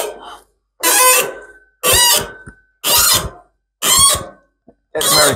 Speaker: e other way so it actually pushes those two together and then when we hear it squeaking we know we're biting kind of equal turns